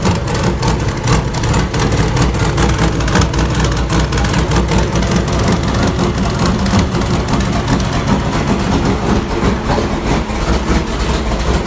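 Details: 1999 Sierra with a turbo LS 6.0 (VS Racing 7875 turbo, Hi Ram intake) on a base startup tune: lumpy, uneven chug with irregular pulses instead of a smooth beat; rough idle, with idle tuning still unresolved.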